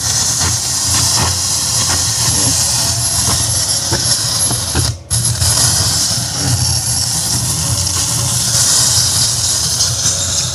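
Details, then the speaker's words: Yamaha PSR-S750 keyboard that failed mid-parade while powered by a diesel generator, blamed on unstable voltage; loud steady roar and hiss, no notes, one brief dropout; audio roaring noise. "Ya, jadi dipakai karnaval kemarin, terus di tengah-tengah perjalanan itu rusak, suaranya nggak keluar, hanya muncul suara seperti itu."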